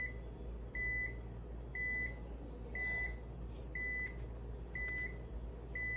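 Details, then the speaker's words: UPS from an e-waste shop, tested with a 20 W lamp, on battery after mains AC is switched off: a clear high beep about once a second over faint room hum, warning of mains power loss. The UPS is rated about 500–600 W. "உங்களுக்கு எதுக்கு இது beep sound கேக்குதுன்னா நம்ம சிஸ்டம்ல use பண்ணும்போது நம்மளுக்கு power போயிடுச்சுன்னா இல்லைன்னா தெரியாது. அதுக்காக இந்த பீப் சவுண்ட் கேக்குது."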